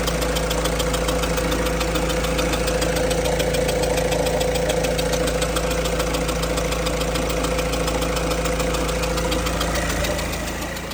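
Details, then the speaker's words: 2007 Peugeot Expert 1.6 HDi diesel van, 180K, injectors all leaking, idling after coolant refill during coolant-leak check: sharp regular chuff about three per second over even idle, injector leaking past its seal. "Um, you can hear that little injector uh chucking away, but um I filled the coolant up."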